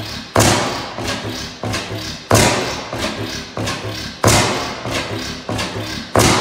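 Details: 15 hp Bessemer kickstart oil field engine, first run in about ten years, no governor belt: slow heavy firing thumps about every two seconds with lighter coasting beats between; hit-and-miss engine running steadily.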